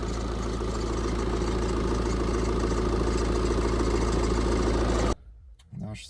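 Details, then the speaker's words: BMW X5 diesel idling, heard outside by the engine: steady thin chirp riding over the clatter before cutting off; squeak from the belt area, owner hopes a tensioner or idler pulley. Cause suspected, not confirmed. Belt area squeak. "сейчас выйду на улицу послушаем там возле мотора Будет ли там скрип этот да ребят скрип я этот слышу слышите ли вы"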